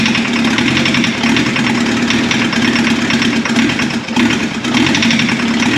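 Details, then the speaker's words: Turbo diesel swapped into a 1981 VW Rabbit/Caddy pickup, first runs: rough, uneven idle with sharp metallic ping and lumpy beat; cracking lines shows two cylinders not firing, injectors suspected, injection pump seems fine. "So we've got two unhappy injectors. If you notice, what I did there was actually crack those lines loose, and this one did absolutely nothing. So that tells me we're short those two cylinders, pumping fuel really strong to them, so I think our injection pump is okay."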